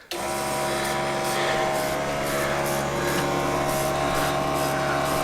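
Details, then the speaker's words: Allotment water pump at startup: loud rough rattling whine and fluttering churn, running without water load; sucking air through failed seals on the joints so it won't draw water. "Well, it looks like the seals failed on the joints down there. So it wasn't pulling water because it was sucking in air."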